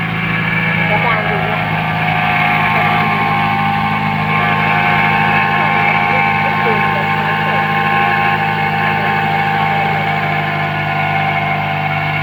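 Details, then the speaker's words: Toyota Vios at idle after replacing the A/C-alternator belt: steady whirring from front of engine persists; water pump pulley checked fine; alternator bearing now suspected, not confirmed. "ไม่หายนะครับผมไม่หายครับผมดังนะครับผมก็เดี๋ยวไลหากันต่อไปครับผม"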